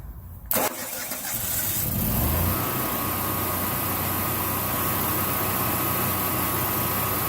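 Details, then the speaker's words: Generac standby generator engine start after battery check showed 13.84 V charging: short crank, quick catch, then steady even run with a faint constant whine; starts and runs normally. "Starts up and seems to work."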